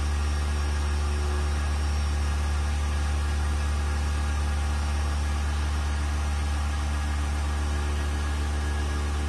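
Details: Vacuum pump on a 1600-litre mixer during a vacuum test with lid bolts fastened and an empty chamber, gauge vacuum rising toward 0.08; low, even hum pulsing about 214 per minute, no rattle or grind, quiet good-quality pump running normally.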